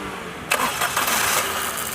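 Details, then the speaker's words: 2016 Maruti Suzuki Celerio VXI after fixing cylinder 3 misfire caused by faulty ECM: starter whirs briefly, engine catches cleanly and settles to an even smooth idle with no stumble. "और अगर आप यहां देखें तो हमारा engine अब सुचारू रूप से चल रहा है।"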